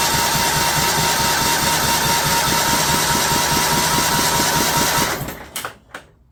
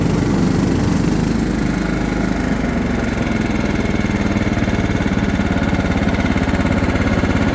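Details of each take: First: John Deere LT150 with replacement 15 HP Kohler engine after swap: even cranking about 2.5 beats per second that never catches, then stops; fuel pump running dry, struggling to prime, hard start. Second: John Deere LT150 mower with replacement 15 HP Kohler engine, freshly swapped and mowing grass: steady, even single-cylinder thrum holding speed under load, then winding down smoothly at shutdown; runs healthy.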